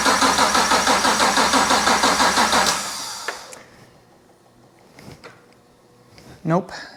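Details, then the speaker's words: BMW 635CSi E24 with a 6.2L Gen V LT1 swap, first start attempt, no exhaust: about three seconds of steady cranking near three turns a second, then it drops off without catching. Cranks, no start. Owner suspects a dying battery. "so i think i understand why the car didn't start at first and the reason is because the battery was dying"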